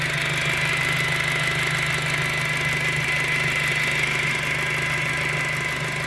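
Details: 2007 VW GTI at idle: steady high-pitched whine at one pitch, still moaning after timing belt replacement; source not found.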